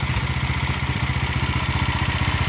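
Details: 170F single-cylinder engine after replacing crankshaft and connecting rod: even thump at about fourteen beats a second, no knock riding on it; the knock is gone. Normal running.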